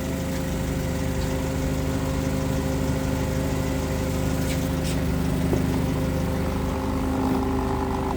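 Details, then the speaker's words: 2008 Mitsubishi Caterpillar 5000 lb dual-fuel forklift, switched from gasoline to propane during pre-delivery inspection: steady, even low hum with no misses or knocks; normal idle. "Engine sounds good. Sounds strong."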